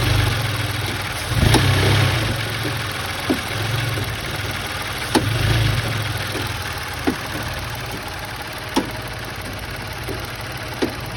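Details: Engine at steady idle with a sharp clunk roughly every two seconds: engine noise caused by a loose engine mount.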